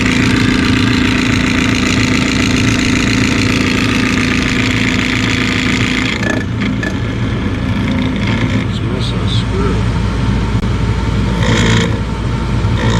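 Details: Bryant furnace inducer motor with a loud steady droning hum and a buzzy edge, abnormally noisy, possibly from a loose part; it later sounds only a little better.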